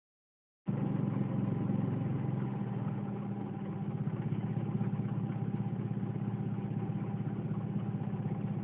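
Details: 1996 Mazda Protege petrol engine idling while running off a jump starter: low, uneven pulsing beat that won't settle smooth, a rough idle that sounds worse at other times.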